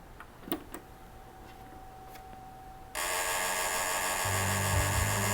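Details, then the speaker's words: Sega CD Model 2, power-on with no disc: quiet clicks, then a loud harsh grinding over a low drone; the disc drive mechanism grinds badly, although the unit still works electrically. "Well, that is a horrible noise. It electrically functions in that we can see the ROM here, obviously, but goodness, it is not happy."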